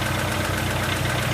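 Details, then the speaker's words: Car engine at cold idle, warming up, oil pressure near 3 bar on a gauge: quick, light, regular ticking the owner calls lifter knock, questioning lifter, engine play or a clogged oil pickup. "meu carro bate tucho como que eu descubro se é tucho se é folga no motor se é pescador de bomba de óleo entupido e tudo mais"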